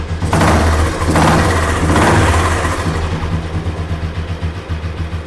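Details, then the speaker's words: Royal Enfield Bullet single, throttle blipped: deep steady thump swelling and settling smoothly; engine healthy, and the exhaust sound is audible because a flap-type silencer is fitted. "So engine பக்கா. Flop தான் போட்டுருக்காங்க. So அதனால sound கேட்கும்."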